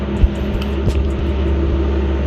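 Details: RB25DET Neo idling after LS1 alternator swap (CWC kit) replacing squeaky unit, charging 14.3–14.5 V: deep steady low rumble, even beat, no squeal or chirp; healthy idle.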